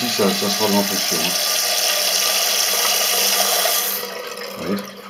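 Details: Toilet cistern, steady hissing water run cutting off after about four seconds; fill level set too high from worn mechanism, spilling into the overflow tube; fixed by adjusting the float screw.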